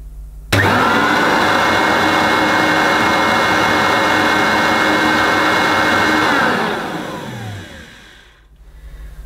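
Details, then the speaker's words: Old worn Hoover U4362 Turbomaster softbag upright vacuum cleaner, first run after assembly: motor spins up to steady even whine, no rattles or scraping, winds down smoothly; sounds surprisingly good, though agitator not heard turning. "well that surprisingly doesn't sound too bad at all"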